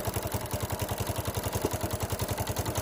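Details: 125cc Bajaj Discover motorcycle idling after a failed CDI coil was replaced with a new one: even, steady thump about three and a half beats a second, no misses or knocks; healthy running.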